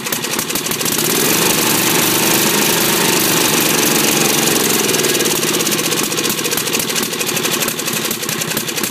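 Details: Briggs 10hp single-cylinder, governor reconnected and working: with choke off it revs high and stays racing with uneven popping, not settling to idle; carburetor suspected worn or way out of adjustment.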